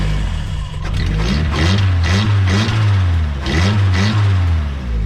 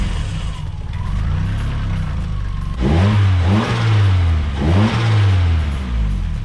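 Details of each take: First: Nissan S13 turbo engine being revved with the intake removed: a rough metallic rattle rising with revs. This came after a hill run that left the hot side glowing; the turbo spins freely with no play. The owner fears a cooked turbo; the noise seems not to come from the head. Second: Nissan S13 turbo, revved after the exhaust manifold-to-head bolts were tightened (one was found loose): clean rise and fall of revs with no ticking or rattle over the exhaust note. Owner thinks the exhaust leak noise is fixed.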